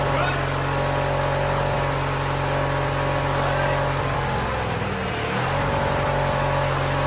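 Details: Weathered Wheel Horse GT-1600 WorkHorse garden tractor, single-cylinder Briggs engine, first start after sitting outdoors, full throttle after ether: steady, even drone without misses or surging; running smoothly.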